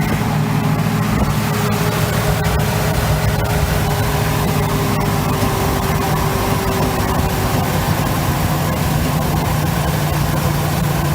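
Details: 1971 Chevy C10, long yard-sitter, just restarted after a fire from an arcing cable was fixed: deep, even idle, steady low rumble, no knocks or misses, a little smoky, sounds healthier, normal idle.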